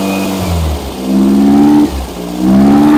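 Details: Freshly rebuilt engine during break-in, after fixing a backwards-connected fuel pump and reconnecting the vacuum advance line: revved twice from idle, pitch rising cleanly and dropping back, no misfire or stumble; runs properly now.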